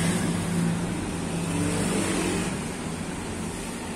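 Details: Honda CB150R fuel-injected motorcycle after replacing the faulty ignition coil with a Vario 125 coil: steady, even idle that picks up briefly on throttle and settles without stumbling or dying, where before it stalled when revved; now running normally.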